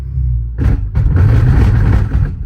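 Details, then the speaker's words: Manual-swapped Audi S6 V10 with welded rear differential: heavy low thuds and rumbling bangs, like a sledgehammer underneath, as drive is taken up in first and reverse; car won't move, rear differential blown apart. "let's hear these noises it makes oh that's bad not quite the way it should be sounding sounds like somebody's down under with a sledgehammer beating on [Music] it"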